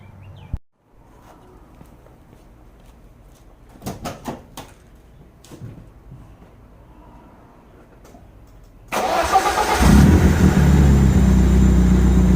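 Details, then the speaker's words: 1991 BMW E30 318i, 1.8 L inline-four, after cleaning a clogged idle control valve that caused stalling on start: short cranking, quick catch and a steady, even idle without stalling; starts and idles fine. "all right as you guys can see it's idling pretty nice now"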